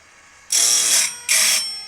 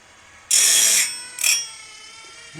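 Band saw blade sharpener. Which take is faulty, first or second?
second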